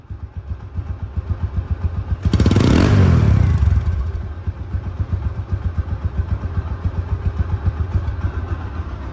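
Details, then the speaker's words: Used TVS Apache RTR 160 2V Xconnect, 2,200 km original: even low idle thump with a regular beat and one brief throttle blip; clean and healthy, same as a showroom-new bike. "Sound দেখছেন, শোরুমে যেরকম sound, অবিকল ওই রকমই sound, কোনো পার্থক্য নেই।"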